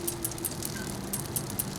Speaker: It also helps you ride a little bit easier, because if anything's squeaking, or you can hear how quiet that is, you just hear the clack of the chain hitting the jockey wheels there.